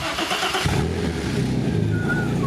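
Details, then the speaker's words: VW Passat flip car after a coilover suspension install, with a soft clutch that may need bleeding: cranks and catches quickly into a loud, firm, steady run with a clean rev, no knocks or misfires. The big-cam engine starts healthy. "Loud. That works. It works. Yeah, buddy. Super big cam."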